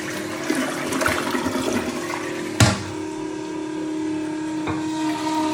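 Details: Toilet after a flush: water rushing with a steady mid-pitched hum or whistle throughout the refill; a noisy fill valve.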